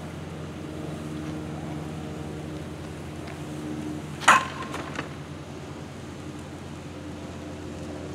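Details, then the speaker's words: Used Permobil C300 power wheelchair with only seven miles, driving on concrete: soft, steady low hum with one brief knock midway from the footplate hitting the concrete, no grinding or whining; quiet, smooth drive, runs like new. "this chair is so smooth I can't even hear the chair it's a hundred percent quiet so it's a really really quiet chair runs like brand spanking new"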